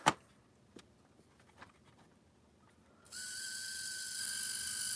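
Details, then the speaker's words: Athearn blue box HO-scale Chicago & North Western F7 locomotive motor: light clicks, then a thin steady high whine and hiss, likely gears or motor bearings lacking oil; quiets as oil is added sparingly (excess reaches the commutator). "Now that sound usually does stem from either the gears or the bearings on the motor not having enough oil, but you have to be so careful when you're adding oil to these things, because if you add too much, it will go right down to the commutator and it will start to burn, and then it's not good."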